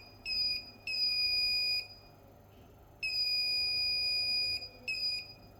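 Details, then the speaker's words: Dead Asus TUF FX506L laptop motherboard, voltage injected into the main power rail at 1.44 V: the bench supply gives high-pitched beeps in long, uneven bursts at current limit; dead short on the main power rail. "Okay, it seems like 1.4 4 volts is too small cuz you can hear the short wants to bend but it's not bending same time."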